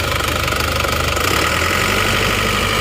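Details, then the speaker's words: Isuzu Panther automatic diesel after replacing badly worn liners: blow-by cured, but idle irregular and lumpy, about three pulses a second with clattery tone; injection pump not yet timed or adjusted, suspected needing pump-shop setting; uneven idle. "jadi untuk kompresinya sudah enggak ngobos tapi untuk hidupnya ini kurang rata"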